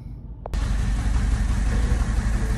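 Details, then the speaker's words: Mini Cooper with Valvetronic engine runs on three cylinders from startup despite owner replacing Valvetronic motor, eccentric shaft position, coolant, MAP and cam position sensors; deep, uneven, lumpy idle from single-cylinder misfire, later traced to a Valvetronic fault on one cylinder. "so basically he changed all this and I've got to work out why it's running on three so let's check it out shall we really running rough now"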